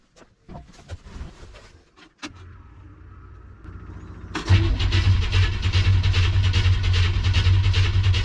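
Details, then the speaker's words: 1957 Chevy Tri-Five V8 cranks steadily at about three turns a second but won't start, after fuel tank reinstall; gauge showed some fuel pressure and the pump was leaking. Cause not confirmed; owner next primes the carburetor with gas. "looks like that answer is no so far"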